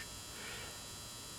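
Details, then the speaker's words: 400 W pulse-start metal halide high-bay lamp, never-used fixture possibly from the 90s, warming up from first start with a bluish-green light. Faint, steady, slightly buzzy mains hum, not loud: normal ballast hum. "It has that characteristic hum of the ballast, but it's not loud, but you can hear it faintly in this motion picture."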